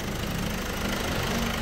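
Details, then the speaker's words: Opel Astra J 1.6 diesel at 98,000 km, cold start: faint, fast, steady tapping over the diesel clatter, the timing chain noise noticed on cold mornings. The chain was found broken; the chain kit and oil pump were replaced. "Evet evet sesi Duydunuz arkadaşlar Evet gördünüz ini kırmış olabilir de Ortak bu sesi duyuyorsanız korkacaksınız arkadaşlar"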